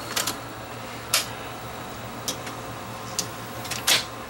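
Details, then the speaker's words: Sony VO5850 U-matic deck: steady low hum of tape winding with light mechanical clicks after the optical sensor eye was cleaned; normal rewind. "well rewind ah now it's rewinding"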